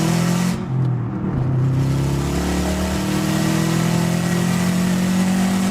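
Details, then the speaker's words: Subaru WRX, oil up to temperature, third-gear pull after installing a Tial 38mm external wastegate: engine pulls hard with a rising note and a loud rushing hiss as the wastegate vents boost, no overboost; normal. "holy we didn't overboost we didn't over who the whose ha ha but that wastegate is loud as oh my god"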